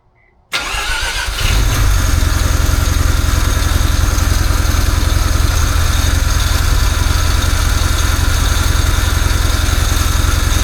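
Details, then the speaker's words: Mazda RX-8 Renesis engine, first start on a newly fitted Haltech Nexus R3 with universal loom, smelling lean: engine cranks, catches and idles with a rhythmic rattle; water pump pulley bolts had been left untightened. "I don't know what that sound is. What is it? Getting tighten up the balance belt. Oh, smells very lean. Yeah, it's like Oh, is that for the water pump? >> Yep. You didn't tighten these up."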